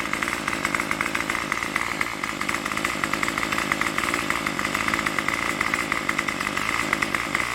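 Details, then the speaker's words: Craftsman Weedwacker trimmer 316.791191 after repair (MTD 27cc two-stroke, Zama carb), running without choke: fast, even, raspy buzz with a steady pulse and no stumbles or misses, around 2600–2700 rpm on the tach. Runs properly. "so it's got it got it running with no choke so it's started up runs good no choke don't need the choke it's a little bit of gas so much"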